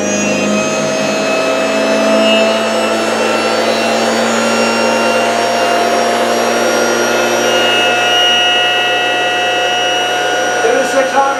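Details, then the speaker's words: Electric motor on a lab test near 3600 rpm: a steady high-pitched whine with a rough hum, noisy and low on torque versus strong torque at 2200 rpm. Owner blames controller timing and frequency mismatched to the magnets and stator. Noisy electric motor at high speed. "So, but you can hear now, it's noisy. It doesn't have much torque. It's got a lot of torque at 2200, but not at 36, because see now it's being noisy."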